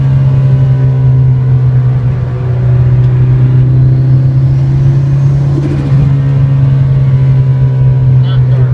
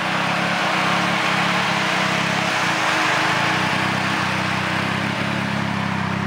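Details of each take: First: 2006 Nissan Sentra SE-R Spec V, built turbo engine (GT35R, e85 tune, C1 cams), freshly rebuilt: steady low drone with a slightly uneven, lumpy run; tuner suspected cam timing, traced to failed cam phaser O-rings. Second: 2006 Nissan Sentra SE-R Spec V, built turbo four-cylinder (GT35R, e85 tune), idling after a machine-shop rebuild and reinstall: loud, even idle with a steady low throb and no knocks or ticks; sounds good.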